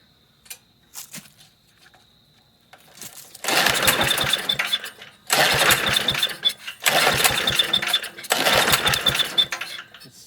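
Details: MTD walk-behind lawn vacuum blower with Briggs engine, unused about three years: rough one-to-two-second bursts of firing on each cord pull on starting fluid, then dies; won't keep running.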